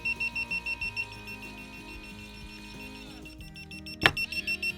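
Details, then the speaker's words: Guardian wireless water leak sensor in a basement, tested with water to see if it closes the main valve; rapid, shrill, evenly pulsed beeping stops briefly, then resumes after a click, and the valve closes automatically. "I guess it's good that it's annoying, but nevertheless, seems that when it's automatically set up to when any one of these detect water, it will automatically close the valve."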